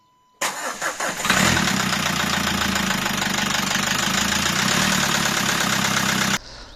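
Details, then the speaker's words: 2012 Nissan Qashqai 1.5 dCi diesel with knock that began suddenly on a morning start: after correcting cam timing about two teeth out, it runs slightly softer but the metallic knock persists; cause found to be a sheared camshaft pulley key. "двигатель немножко стал работать мягче но звоны стук этот никуда не ушел"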